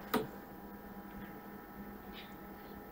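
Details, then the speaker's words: Tandy TRS-80 Model 4P with FreHD hard-drive emulator: drives are checked in turn, and drive four, the first floppy drive, gives one sharp normal seek click over a steady low electrical hum. "so strike three and now drive four is actually the floppy the first floppy drive five is a second you can hear clicking again"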